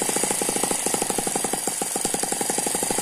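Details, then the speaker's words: Eachine ET9 (M15) mini gasoline engine, a balanced single cylinder with twin counterbalances: fast, even firing with a light whirring turbo-like gear whine on top; smooth, healthy running. "you can hear that gear noise it sounds a little bit like a turbo very smooth very very nice running little engine"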